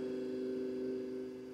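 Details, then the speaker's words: Fiat Ducato 2.3 that would not start: steady electric hum at even pitch, no surging or rattle, as the fuel pump primes at key-on for about 15 seconds then stops; normal prime. "agora quando a gente ligar a chave a bomba de combustível ela tem que ficar pelo menos uns 15 segundos ligada né"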